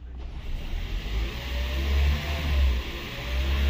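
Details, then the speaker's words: Toyota Prius after jump start with a GB70 jump pack; pressing the gas pedal brings the petrol engine back on, a deep low rumble swelling into a steady drone, a normal hybrid engine restart. "oh my God hit the gas pedal can hear the gas engine come back on"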